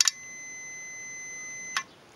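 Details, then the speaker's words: Warn M8000 winch solenoid bench test, power applied to the coil posts with a continuity meter across the main posts: a sharp click with a meter beep, then a release click; the solenoid switches cleanly and is good. "so you can hear the solenoid click basically switching power across the posts and the beat telling me that that solenoid is good"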